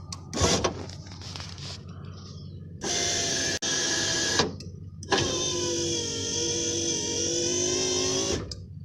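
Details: 1986 Ford F350 power window motor after fixing stripped plastic bushings with an 11mm ball bearing mod: steady hum through two smooth runs of a few seconds each, no grinding or catching, window working normally.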